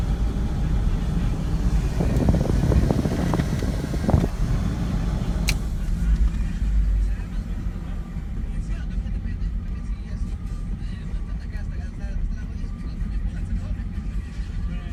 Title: Rough idle 91 camaro z28